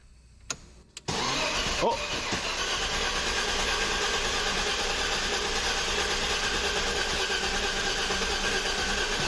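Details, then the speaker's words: BMW E34 barn find, left sitting, previously dead battery: after a loose battery connection was tightened, a couple of weak clicks then the starter cranks steadily but the engine never catches. "it was the battery connection it just wasn't tight sounds cranked like it's cranking yeah yeah it sounds like it's cranking good"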